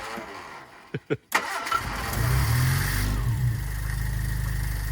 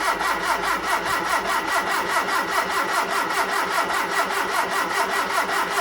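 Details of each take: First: Hillman Super Minx after carburettor rebuild and new diaphragm fitted: a few cranking thuds, then the engine catches and settles into a steady, even low idle with no misses; no leaks or fuel spilling seen, normal idle. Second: Hillman Super Minx after carburettor rebuild, refitted carb with empty float bowls, choke held by clothes peg: starter churns steadily at about two and a half beats a second without firing while fuel refills the bowls; extended cranking.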